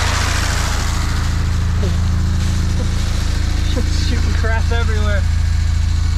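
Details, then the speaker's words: 1974 Plymouth Duster slant six with 904 transmission, sitting since 1987, first run after priming with fuel: steady, even low idle rumble with no misses, pops or backfires; runs good. No coolant in it and a suspected radiator hole, so it was shut down soon. "but hell it runs it runs good too wasn't it backfiring or nothing hell yeah"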